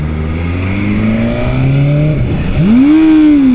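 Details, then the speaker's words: 2019 BMW S1000RR on the road, first ride: engine pulls up through the gear, note drops as the quickshifter upshift misses from not pressing it firmly enough, then revs flare sharply and fall back; a backfire was noted just before. "Ups. Ja, das passiert natürlich, wenn man den Quickshifter nicht doll genug betätigt. Mein Fehler."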